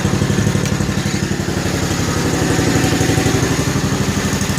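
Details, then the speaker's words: 1955 Cushman Truckster, not run for years, with new exhaust: even, steady low putter about four firing pulses a second, no misses or knocks; smooth, quiet idle. "but what a smooth running, quiet little engine this thing really is. I did a nice exhaust on it. Sounds pretty good actually."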